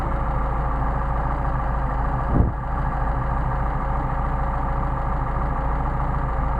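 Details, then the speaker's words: Mercedes 190SL with rebuilt, remachined Solex carbs: steady idle sags into a brief stumble and nearly dies as the very sensitive idle mixture screw is deliberately exaggerated out of range; set at midpoint between stumbles. "I'll exaggerate it so you can really tell yep I see it start to drop off almost going to die"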